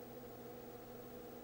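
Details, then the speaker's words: Commodore PET with a Datasette attached: at power-on the tape motor spins until boot turns it off, then runs again when play is pressed; a faint, steady, even hum, which shows the CPU is running and not crashed. "and then when you stop the motor stops if the motor starts and stops like that that indicates that the cpu is running because it's necessary for the cpu to be running to turn the motor off"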